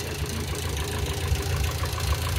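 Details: Hydraulic lifter clatter at idle on a clack-prone engine, running on a chemical engine flush before draining, rinsing and refilling with fresh oil; quick, light ticking chatter over a low rumble, and the engine sounds as if it is straining.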